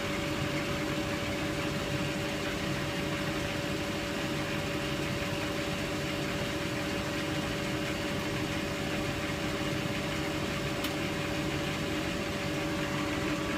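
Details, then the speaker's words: Bendix Autowasher Electronic 800 7148 washing machine, Cotton 90 plus prewash, 800 rpm, towels load: motor at full speed gives a continuous smooth singing hum with rushing air, balanced, no knocks or grinding; healthy motor. "then Motors are full chat so distinctive in their sound it's not so much about um induction mod it just sounds like lushing air yeah it actually sounds a a proper singing motor"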